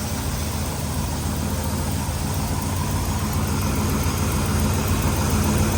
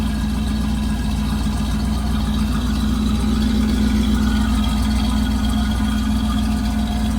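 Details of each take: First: Big-block Camaro first started after sitting since 2017: a loud, deep, throaty, even idle with a steady rumble; the motor sounds happy and healthy. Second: Big-block rat motor with forged pistons in a long-stored Camaro project, just started after oil in cylinders: loud, throaty, fast steady idle with low drone and no dips; idle sits really high, owner unsure why.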